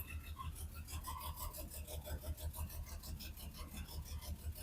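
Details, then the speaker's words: Hudson Hornet on temporary universal electric fuel pump, fuel pump heard then starting; soft even low thump at idle, about three pulses a second with faint rasp; normal steady idle. "Is it going to start? I hear the fuel pump. And we're idling."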